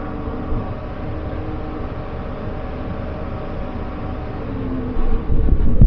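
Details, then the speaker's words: 2015 Chevrolet half-ton pickup with a dead misfire on cylinder 2 at idle despite new plugs, wires, coil and injector: uneven chugging; relative compression test later pointed to a worn valve lifter and camshaft. "today we're working on this 2015 Chevy half ton pickup and it's got pretty much a dead Mist right at idle"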